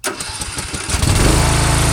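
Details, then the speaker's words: Swisher mower started by remote control, heard from a distance: short crank catches at once and settles into a steady, even idle; small engine starts cleanly and runs normally. "That starts it up. Probably hear it in the other camera."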